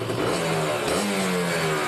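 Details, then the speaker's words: Kawasaki Ninja RR two-stroke on choke after new reed valve petals; crisp revving that climbs and drops cleanly with the throttle, the earlier "crocs" noise is reduced and response is sharper: normal revving. "bisa didengar suara Crocs Crocs Crocs kayak gitunya udah sedikit berkurang saat digas terutama kita dengarkan oh mantap banget ya jadi lebih responsif nih"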